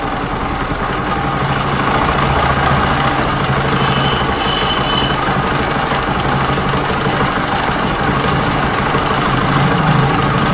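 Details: Bajaj Pulsar (Rouser) 135 LS at idle with Rolon bush timing chain: fast, uneven metallic clatter from the severely loose chain hitting the upper camshaft sprocket; valve clearances correct (0.05 mm intake, 0.10 mm exhaust), rockers fine; idles poorly, loses acceleration; timing chain rattle.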